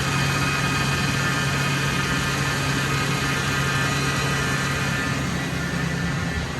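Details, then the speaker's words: Totaled 2006 Ford F-350 V10, about 5,800 original miles, just after first start following rebuild: steady even low hum, no knocks, ticks or misses, settling into a quiet idle; normal idle. "It's quiet. Woohoo! Man, that's awesome."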